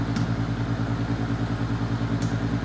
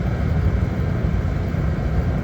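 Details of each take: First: Secondhand Master diesel radiant heater, first start after purchase: steady blower hum with an even low pulse about 2.5 per second, no igniter heard and no burner roar catching; heater does not ignite, cause unknown. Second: Master radiant heater labelled kerosene-only, running on diesel after starting first try from bone dry: a steady, even, quiet low roar with no sputter or surging. The heater is burning cleanly and running normally.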